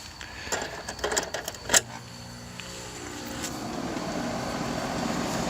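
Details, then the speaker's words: Apartment AC outdoor unit that showed four blinks for locked-rotor trips, restarted after its capacitor and wiring were checked: clicks, then the fan and compressor start into a steady, even, building hum; normal startup. "Sounds better. Fans on. Compressor's on."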